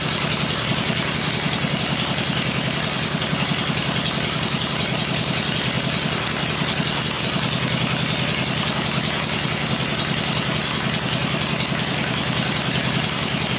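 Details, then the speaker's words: 96-inch V-twin with Edelbrock heads on an engine stand, first run, slight choke, 40 psi oil pressure: even loping idle, steady beat, no knocks or rattles, quiet; normal idle. "well that sounded all right there yep Idols are way down on this question so now I'm just going to let it cool and then we'll run it again that sounded okay though yeah sounded good nice quiet"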